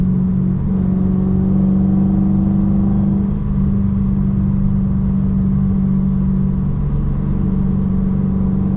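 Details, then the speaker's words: Chrysler 300 just fitted with a 3.09 Mopar limited-slip differential, cruising on the highway: a steady, slight low hum-whine at constant pitch over road rumble, which the owner notices and questions; whine while driving. "I'm hearing like a whne noise I don't know if y'all hear that let me know in the comments if y'all can hear that noise that I'm hearing it's like a slight whine"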